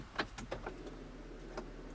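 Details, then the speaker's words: 2013 Land Rover Freelander 2 put into parking brake maintenance mode before a rear wheel bearing job: short whirr from the electric motors with a few clicks as the rear park brake actuators wind off; normal electric parking brake release. "Ooh, and I can hear the motors of the park brake winding off."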